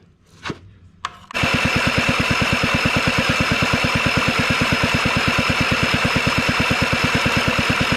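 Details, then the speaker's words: Honda Spree 2-stroke scooter (engine likely 1984), hard cranking and won't start, spark plug removed: fast, even cranking about three beats a second with no compression drag; starter and battery (about 12.5 V) are strong. "i take the plug out and there's no back pressure at all no compression stroke then it spins like crazy that tells me that my starter is just in my battery is still strong"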